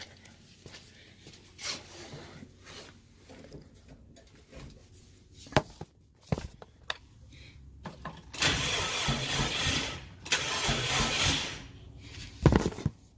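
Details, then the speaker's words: Subaru Brat with a WRX swap, cranking through the ignition after a missing engine-to-body ground was added, with the clutch switch held: a few seconds of brisk, even starter cranking that turns the engine freely without catching. "We got the clutch switch engaged. She cranks, boys. She cranks."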